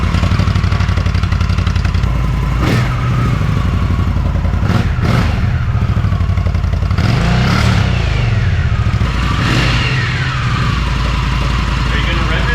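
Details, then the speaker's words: Stock Indian Scout V-twin with the factory exhaust, before the 2-into-1 install: even, soft "sewing machine" idle with a few clean throttle blips that rise and settle quickly; quiet, smooth and healthy. "gonna rev it or just let it idle? Yep, that's it. Sewing machine."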